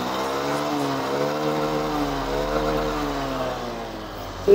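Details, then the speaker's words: Honda Beat 2021 scooter after its final gearbox ratio gears, damaged by oil mixed with water and dirt, were refitted and refilled with oil: revved after reassembly, a smooth even rise and fall with no grinding or whine. Gearbox now smooth. "oke jadi Sudah halus semua ya teman-teman"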